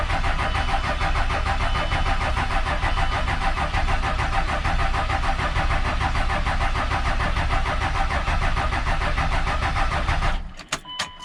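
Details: 24-valve Cummins with VP44 injection pump reinstalled after removal, injector lines cracked to bleed air: steady starter cranking for about ten seconds without catching, then stops; fuel then flows from the lines.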